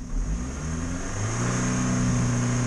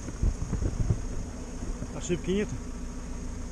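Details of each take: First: Ford engine won't rev past about 4000 rpm: revs climb under throttle, then flatten and hang; diagnostics flagged the accelerator pedal, but the air filter was found clogged. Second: Ford that would not rev past about 4000 rpm, after the very dirty air filter is blown out: engine picks up cleanly when blipped, rising and falling smoothly with no hesitation or misfire; now revs freely.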